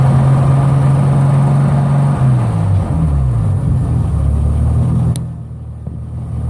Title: BMW 745i turbo e23 M106 Big Hesitation problem, misfire